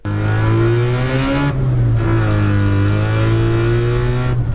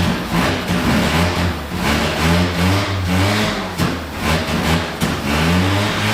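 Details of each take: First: 1974 Mazda Rotary Pickup with RX7 5-speed, new clutch, intake and Holley carb, after removing a clogging window-screen filter: smooth, clean pull, note climbing evenly, no stumbling or hesitation. Normal running under acceleration. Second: 1974 Mazda Rotary Pickup with new Holley carb after replacing O-rings and needle and seats: revs up and down unevenly, hesitating and bogging as throttle opens; owner suspects insufficient accelerator pump shot. Stumble on acceleration.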